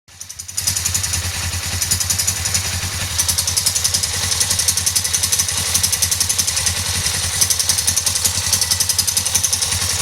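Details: 2008 Suzuki GS500 twin idling with a fast, sharp metallic ticking over a low hum, appeared after replacing valve shims; throttle also hangs despite lubed, adjusted cables; cause unknown.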